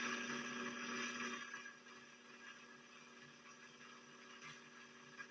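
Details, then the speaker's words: Motor straining on a 1961 Singer 401A sewing machine lacking power: steady motor whine drops in pitch and fades after about a second and a half, labouring against binding; heavy gunk build-up found on the clutch release. "trying so hard to press past the barrier that's holding it back right now this machine has grit and determination and even though it's being hindered right now it's trying to break past that boundary"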